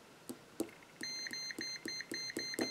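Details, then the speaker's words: Multimeter continuity test on the white wire of a broken corded drill's power cord, which does not run when the trigger is pulled: clean steady high beeps about every quarter second show good connection, so the wire is intact. "all right so we got good connection there now let's check the black wire"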